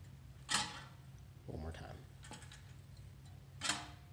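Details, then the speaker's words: Fiskars reel mower with a non-contacting blade-to-bed-knife setup: a quiet reel with a single sharp tick every few seconds as one blade catches the bed knife while the others spin clear. "the only noise you're hearing right now keep in mind is that one blade on that reel that is making contact at that bad knife"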